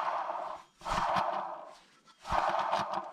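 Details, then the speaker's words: 2002 Toyota Camry XV30, 1MZ-FE, rear hub spun by hand during ABS speed sensor C0210 repair: two spins with dry, gritty rasping fading as hub slows, little play; worn dry wheel bearing, grinding. "bearing is pretty bad here dry and as I said it doesn't have much play but they could feel it you can hear that it's a little bit of ground you know"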